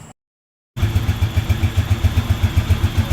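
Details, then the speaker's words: Rusi TC 150 motorcycle after fitting TMX 155 parts, reassembling the crankcase and adding oil: even thumping idle about four beats a second, no knocks or rattles; now quiet and healthy. "okay na siya, wala na siyang kaingay-ingay. Tahimik na siya."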